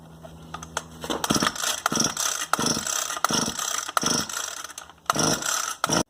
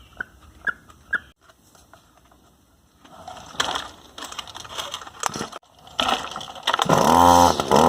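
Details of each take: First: Echo SRM-260 string trimmer that won't start, before carburetor, spark plug and fuel line kit replacement: about seven rapid ratchety recoil pulls with no cough or catch; cranks without firing. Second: Echo SRM-260 two-stroke string trimmer that wouldn't start, after new carburetor, spark plug, fuel lines and fuel filter: after handling clicks it fires and settles into a high, buzzy, steady run; normal running, carb may need a quick tune.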